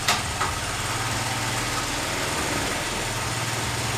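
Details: 1978 Honda Z50A semi-auto single at first start as a restoration project, smoking and known for poor compression on test: weak, uneven idle with little punch in each beat; tired engine, low compression.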